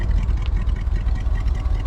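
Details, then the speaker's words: 1956 Dodge C3 HHA-8 farm truck V8 firing up and idling with a deep throaty, loose rumbling burble through old-school glasspack mufflers; runs normally. "hear it running there we've got some old school glass packs there firing up"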